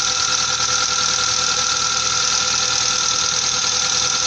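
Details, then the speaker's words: 1998 Mazda 626 engine at idle after an attempted fix to the hydraulic lifters: fast, sharp metallic ticking continues unchanged. The lifters are still tapping, and the conclusion is that they need replacing. "посмотрим как стчали так и стчат даже даже Ничего не изменилося"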